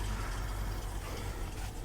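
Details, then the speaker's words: 1968 Mercury Cougar XR7 V8 just started, still a little cold: deep, steady low rumble running slightly rough from cold but nothing too terrible; some blow-by at the oil cap, probably needs an oil change; normal cold idle. "Okay, it's still a little cold, so that's why it's going to run the way it is. But as you can hear, it's nothing too terrible."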